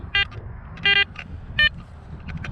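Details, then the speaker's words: Garrett Apex metal detector, iron separation test with a Jefferson nickel among nails and screws. Three short, clean mid-pitched beeps, each higher than the low iron grunts: nickel target tone. "all right we've got the nickel that's down there now that's actually coming out really nice"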